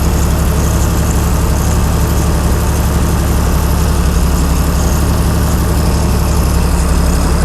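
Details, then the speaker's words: Chrysler 225 Slant 6 generator set with newly installed Holley Sniper EFI, warmed up: smooth, even low idle hovering near 700 rpm with a steady beat, no misses or knocks. Normal warm idle. "so maybe it just needs to cycle a little bit and we're hovering closer to 700 now"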